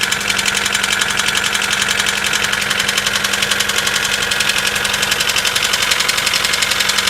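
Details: Mitsubishi 4G94 engine at cold start: a sharp, even ticking knock about four per second rides over the cold idle, source not yet pinned down; cold start engine knock.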